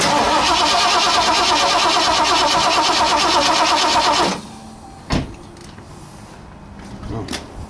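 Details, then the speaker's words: 1960 Ford F100 with transplanted 351 V8, not run in decades, primed with brake parts cleaner: steady even cranking about three turns a second for four seconds, no start, because the coil wire wasn't in the distributor. "Might help if I put the coil wire in the distributor. Let's try it again."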